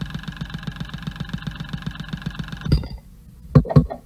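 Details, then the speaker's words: Ford Fiesta direct-injection petrol after repairing a stuck-open overfueling injector, injector one heard through a stethoscope/accelerometer: crisp, even ticking about seven per second, then two sharp taps; normal. "Two taps again, injector number two. So it's far more crisp than before."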